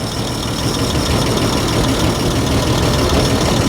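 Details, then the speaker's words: Abandoned 1949 Dodge truck's old flathead six, revived after decades in the desert with the heads pulled and no new parts: steady low idle about three thumps a second, run briefly with no belts or cooling; clean and free of ticks or knocks. "what a sweet little motor after you give us all them problems you're not too bad"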